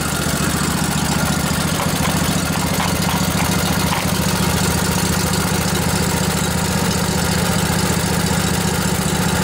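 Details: Revived junkyard Briggs & Stratton Intek OHV twin, 20–22 hp, model 40777, in a Husqvarna riding mower, with a new carburetor: steady, even idle with a smooth, unbroken beat and no knocks or misses; running healthy.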